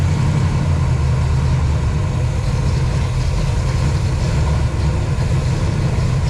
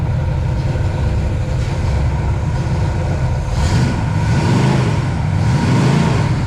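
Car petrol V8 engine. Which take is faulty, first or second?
second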